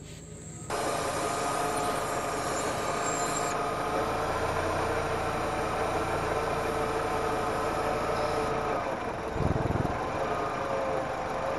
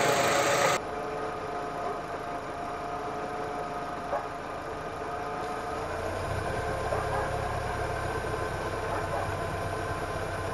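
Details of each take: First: Petrol engine at steady idle after the original working PCV valve was refitted. There is no vacuum hiss, and throttle position and idle air control valve steps read normal, so the valve works. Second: Engine idling with the PCV valve pulled off its hose: a steady airy hiss as air is sucked into the intake manifold. Throttle position drops to nearly zero (0.8) and idle control steps fall to 4–5.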